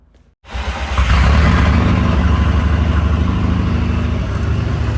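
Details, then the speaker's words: VW Mk5 Golf with newly built 20VT engine with new rods, on E85 race fuel, first startup: fires straight up after brief crank, deep steady even idle with no misses; healthy engine. "so yes the car's running thank you Jamie he's he's happy now the car's running"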